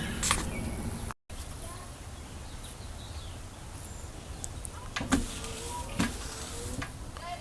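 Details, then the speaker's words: 2006 Chevy Uplander rear wiper motor after fixing seized output shaft by drilling clean-out holes and oiling: quiet steady whir with even sweeps, no grinding or binding; working normally. "as you can hear the motors working fine now"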